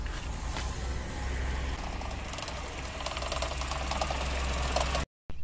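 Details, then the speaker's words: Cold first morning start of a 1980s Mercedes W124 after EFI conversion with new injectors; low, slightly uneven idle with some shaking and a light buzzy rattle caused by the air filter restriction gauge vibrating. "that rattling is caused by that gauge that shows you how clogged your air cleaner is"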